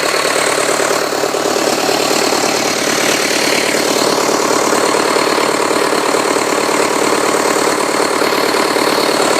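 Steady, even diesel clatter at a constant idle speed, with no misses or stray knocks. Sounds like a healthy idle.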